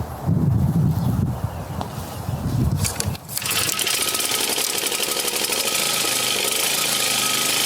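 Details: Toro Turfmaster commercial 30-inch twin-blade mower, Kawasaki FJ180V engine, being warmed up on choke before oil and filter change: catches after a few pulls and settles into a steady, even run with a high buzzy exhaust note; normal running.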